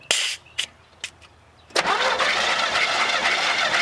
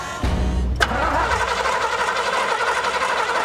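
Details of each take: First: 1982 GMC C10 barn find with a homemade propane engine, sat over 25 years, compression test after working the shifter back and forth to get it to turn over: starter whirrs steadily with even compression pulses; about 122 psi, normal cranking with good compression. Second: 1982 GMC C10 with a homemade propane setup, sat for over 25 years: starter cranks steadily with a few sharp firing pops but never catches. Spark and compression are present; it seems starved of fuel.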